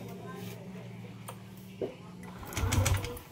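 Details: Yamaha Aerox 155 v1 Keyless showing error 12: starter cranks the engine steadily with a brief clatter but it never starts; crank-no-start traced to a faulty crankshaft position sensor.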